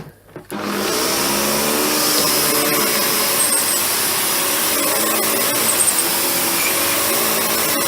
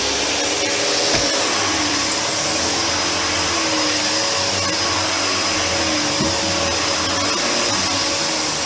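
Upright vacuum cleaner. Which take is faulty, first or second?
first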